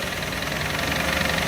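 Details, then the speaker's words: 2003 Jeep Liberty 3.7 L V6, hard to start, needs throttle: rough, uneven idle with rapid knocking, running on four or five cylinders; engine knock and misfire, owner thinks it may be rebuildable. "as you can hear it is knocking it's barely running it's running on four cylinders or five cylinders right now it's a v6 and it is knocking"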